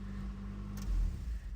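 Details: Nissan D21 Hardbody KA24E 5-speed after replacing the dead starter with a used one; steady low even idle rumble with no knocks or misses, engine healthy.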